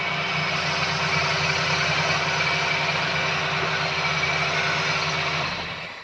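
Steady, even idle with a smooth low hum and a constant high whine above it; no misses or knocks, running cleanly.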